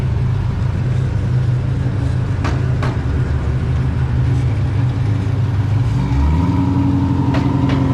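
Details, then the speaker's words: Pontiac GTO with a stall converter, on its first drive on tuning day after the cooling system was burped and transmission fluid topped off: deep, steady V8 idle with a choppy cam lope and even pulses, no knocks or misses; normal idle. "See that exhaust chicken? Whew. Yeah, she sounds good so far."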